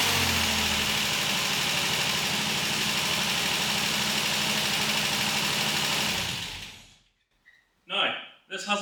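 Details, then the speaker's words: Customer's 2.8 Special Xpack, just after the valve clearances were set (it previously spluttered and cut out): a steady, even idle with no valve tick over the hiss for about six seconds, then it shuts off; a healthy normal idle. "well I'm really interested to see is if there's any ticking noises in the valve fin after I've just set them that's good"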